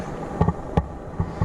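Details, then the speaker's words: Cheap rallycross car at idle: deep, uneven, loud puffing thumps. A large exhaust leak comes from an old flex pipe underneath. "there is one of the problems with it it's got a huge exhaust leak from a crappy old flex pipe underneath but I already have a fix for this I think you guys will approve of"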